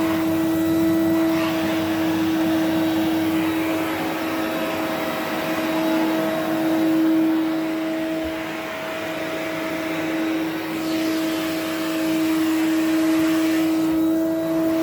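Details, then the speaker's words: 1970 Electrolux Z91 vacuum fitted with a later replacement motor because the original died: steady, even motor hum with a firm mid-pitched tone, not the deep resonating hum an original 91 should have; works as a usable vacuum. "That is not how the 91 should sound when it's winding down. And it should be the sort of the nice deep resonating hum that you get with um say like my 87 or my 94."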